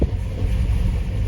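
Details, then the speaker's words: 1970 El Camino with newly installed Digital Dawg iKey push-button ignition, brake pressed and start button pushed after fuel pump primes: quick crank, catches at once and settles into steady even low rumble; normal engine start. "And now all I have to do is press on the brake, press my ignition lighter. Baby fires right up."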